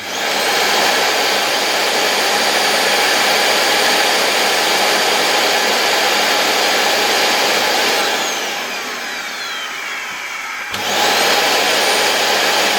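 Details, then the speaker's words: LG V-3340D vacuum cleaner's original motor, which had started running loudly, tested on voltage regulator with voltage raised: loud high whine sags and pitch slides down then snaps back; erratic running, owner suspects already-damaged bearing. "I admit I'm not sure if it could be the bearing, which I think is already damaged."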